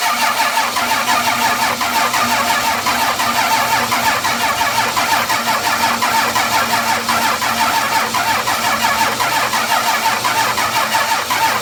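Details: 12-valve Cummins diesel after nine years sitting, fuel shutoff valve pushed up by hand: catches and settles into a steady even clatter with no misses; runs good, injection pump seems a little sticky.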